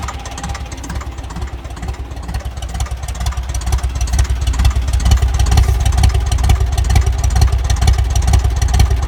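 Low, heavy diesel idle thumping in a steady beat near 130 a minute, with a knocky, uneven edge suggesting a possible misfire.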